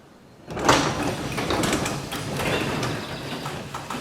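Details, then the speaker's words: Garage door lowered after lubricating hinges and spring pulleys: steady rumble with a faint dry creak, traced to one hinge that then got more lubricant spray. "oh i'm hearing a little bit of a creek which hinge was that i think it was this one"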